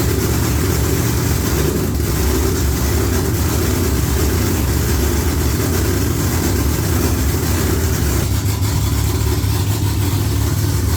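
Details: V8 with Holley electronics, just after an oil filter change: deep, loud, even rumble holding steady with no knocks, misses or ticks; normal, healthy idle.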